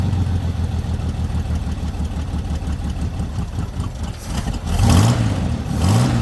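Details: Lowrider V8 after the dipstick oil leak repair, now no longer leaking from the dipstick: smooth, low burble that settles into an even idle with a couple of brief blips. It reaches idle faster than it used to. Normal idle.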